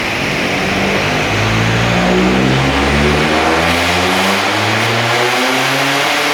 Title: Straight piped astra vxr.. misfire/boost leak